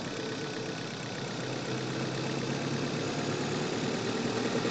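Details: Manual car on a test drive in Quezon City, microphone in the engine bay: under acceleration a rough, rattly undertone rides over the engine drone; suspected engine knock when accelerating.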